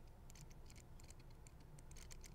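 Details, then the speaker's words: Steering servo in a Fantasy 2 RC drift car, wheels held still under hand tension, gives faint rapid uneven ticking and buzzing clicks as it hunts; servo chatter. "so servos chattering away even when I put that tension on it it still wants to talk like I can feel it trying to move the I can feel it trying to move the wheels just ever so"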